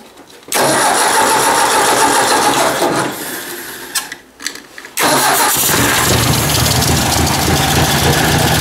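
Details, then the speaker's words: Ford 800 tractor just refilled with oil: engine fires, then the speed sags and surges and chokes; idle is hunting. Idle screw is only about an eighth of a turn open, and owner suspects the carburettor needs going through, unconfirmed. "let's see she'll start here again he did a bit of choking there i don't know why it's doing that now"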